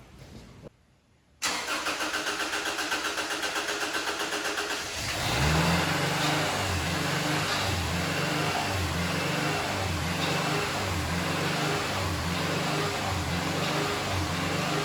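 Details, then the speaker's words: Subaru EJ25 swapped into a 1973 VW bus, fuel pump wired directly to ignition: starter cranks at an even, steady pace but it never fires; suspected starter switch circuit low input at the ECU. "I think it was a starter switch circuit low input I'm gonna try wiring this starter switch input directly to when the starter switch goes off"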